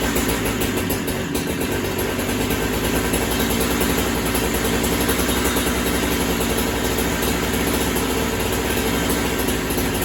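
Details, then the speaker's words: Holzfforma Farmertec 372 kit chainsaw, cold: a rough, uneven two-stroke burble that never cleans up and sounds boggy. The carb is janky, its low side needs adjusting, and the owner suspects the cold; it was less boggy yesterday. "Like I say, I probably still need to get the carburetor tuned. That carb needs to be adjusted on the low side. It wasn't as boggy yesterday."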